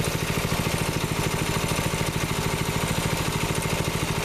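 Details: 6.5HP Honda-clone Predator single-cylinder engine on a Baja Warrior, after cleaning and rebuild from water seizure, idling about 15 minutes during slow break-in before bringing to governor speed; steady even putter, no knocks, misses, smoke or oil leak; normal idle.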